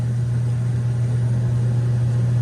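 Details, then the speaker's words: Loud, steady low hum at one pitch from an add-on venting device fitted to an old atmospheric-venting coil steam boiler; technician recommends removing it, noting its downside is being loud. "Yeah, I hear it. The downside to that stupid thing is that it's loud, right?"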